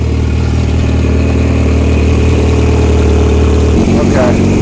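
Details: VW Routan van, first start after harness repair and a charged battery, once a locked starter was freed: a loud, uneven idle with a hard puffing rasp, pointing to an exhaust leak; owner suspects the timing is off, and a giant oil leak then appeared.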